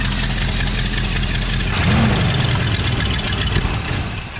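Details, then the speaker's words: 1978 Ford F100 V8 fitted with cheap aftermarket parts idles roughly with sharp, uneven puffing and ticking from an exhaust manifold leak; owner unsure whether the poor running comes from the leak or a broken part, and may need a new manifold gasket. "But I mean, it runs. It just sounds awful. I mean, listen to that exhaust leak. That thing is not good."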